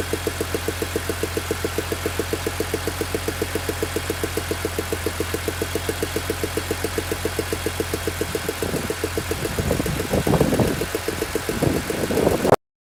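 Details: BMW E46 M3 with the S54B32 engine, recorded at warm idle after a cold start: crisp, even ticking at a few per second sits over the smooth idle, then handling noise. An abnormal engine tick of unknown origin.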